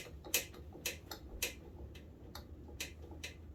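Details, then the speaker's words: Suzuki LT125 ATV (about 1985), engine turned forward by hand: a few sharp uneven clicks just after compression, heard only in one direction, with good compression. Owner suspects valve or valve-train noise. "It's got good compression, that's for sure. It's right after compression it does it, like it's valve noise almost. Valve or valve train."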